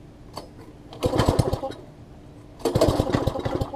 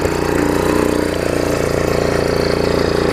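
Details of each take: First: MTD front-tine tiller that had sat a long time: engine fires in ragged one-second bursts with near silence between, spitting and sputtering; first thought to be too much choke or gunk in the carb, actually a misconnected throttle linkage, later fixed. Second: MTD front-tine tiller single-cylinder engine after fixing throttle linkage to the carb and adjusting throttle: steady even idle with a regular beat, no misses or knocks; running correctly.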